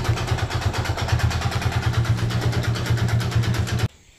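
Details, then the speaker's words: Yamaha Vega Force single at idle with slight throttle: rapid harsh tapping knock until it cuts off; connecting rod knock suspected by mechanic. "kalau sementara untuk prediksi saya sementara ini suara setangnya jadi suaranya itu dari sedang ttttttttt"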